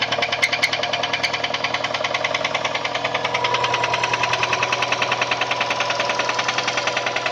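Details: Subaru EJ204 engine at rough idle with hard, regular knocking around 200 beats a minute; teardown confirmed a spun connecting-rod bearing on cylinder 1 (rod knock).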